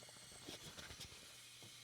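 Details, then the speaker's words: IMUSA stovetop moka pot on the stove, microphone held close: soft steady hiss with faint bubbling crackles, growing as coffee is about to come through; normal hissing near end of brew. "Okay, see, there's no coffee there, but it's starting to make hissing sounds."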